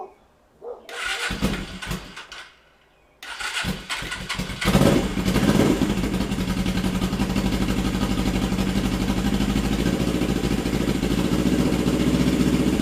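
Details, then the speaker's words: Custom Suzuki GS450 Scrambler, after head bolts re-torqued and valve cover refitted, cold start: a couple of cranking bursts, then it catches and settles into a steady, fairly even idle while warming up, still being checked for its running issue. "I'm just gonna keep warming it up see how it acts"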